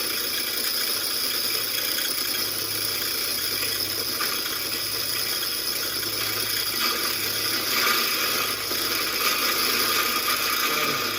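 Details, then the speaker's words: Engine-driven grist mill grinding winnowed corn fed through the funnel: loud harsh grinding hiss over pulsing engine thump, grains crackling; normal operation. "you see what I'm saying? It's loud, it's noisy, but it makes a food product so we can eat it."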